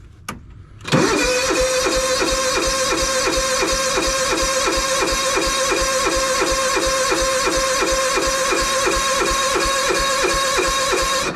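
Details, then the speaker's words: John Deere engine, cold start on full choke as usual: short crank catches at once and settles into a steady, even beat about three times a second; a healthy cold start. "all right we are moving to the John Deere usually I have to do full choke on this thing full choke"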